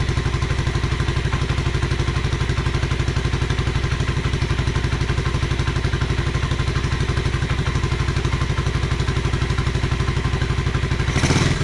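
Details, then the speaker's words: 1986 Honda Fourtrax 125 after carburetor cleaning: steady, even single-cylinder putter at about four beats a second with no misses or knocks; normal, healthy idle. "road yeah that sounds great though"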